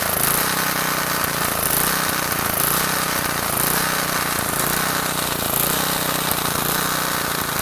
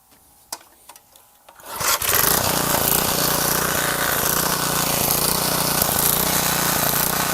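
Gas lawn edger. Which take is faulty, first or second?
second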